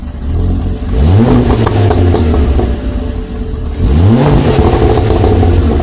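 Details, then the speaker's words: Ford Focus ST Mk2 225 with newly fitted RS Mk2 2.5 spark plugs, heard from the rear: two lumpy rev blips with ragged popping and banging; misfire, owner suspects one plug gap is too close. "I had a bit of misfire I think one of the spark plug gaps are a bit too close together"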